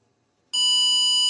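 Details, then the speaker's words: 2001 Ford F-350 7.3 Power Stroke diesel, cold, ignition on; tester gives a single steady high-pitched beep showing the glow plug relay passes power and works properly. "perfect now you know that we're passing will pass in energy and that this really is working 100%"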